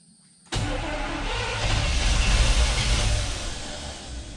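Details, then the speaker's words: Squarebody Chevy K30 truck after sitting years in a field: starter turns the engine at a steady, somewhat labored pace for several seconds but it never catches; weak battery voltage, owner suspects fuel spraying out the throttle body. "it's not like i don't have enough juice no it's probably spraying all that gas out of the throttle body right now"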